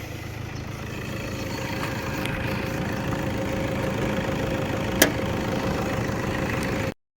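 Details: 2010 Toyota Hilux Vigo Double Cab Prerunner, 2.5 VN Turbo diesel 2KD 144hp, manual, odometer 198,xxx: warm idle with smooth low rumble, no knocks or misses, then shut off; normal idle.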